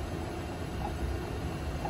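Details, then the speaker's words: New 3-phase 480VAC motor mounted on rebuilt reduction gearbox, bench test run switched via breaker: smooth, steady low hum with no knocks, grinding or whine; motor and gearbox turning normally, gearbox reducing speed and increasing torque. "The motor's turning. The gearbox is turning. And what the gearbox does is it reduces the speed of the motor."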